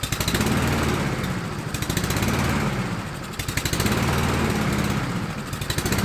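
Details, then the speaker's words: Husqvarna LC 221RH mower, Honda GCV 160 engine, with a cheap knockoff carburetor after fire repair: engine speed rises and sags every second and a half. Surging, possibly lean; owner suspects a jet is too small or clogged. "well it runs and it is a cheap carburetor a knockoff carburetor i'm wondering if one of the jets is too small or got crap in it"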